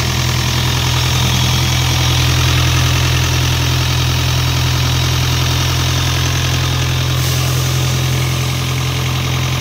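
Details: Isuzu 4LE2 diesel air-compressor engine that previously would not start (smoke had come out the intake at cylinder 4), now after repair idling loud and deep with an even beat, about four pulses per second, no misses: normal diesel idle.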